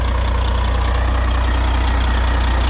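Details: Cabover diesel truck "Betty White" idling with a newly replaced air dryer cycling: deep, smooth diesel rumble with an even low beat, no knocks or misses; return fuel was seen flowing back.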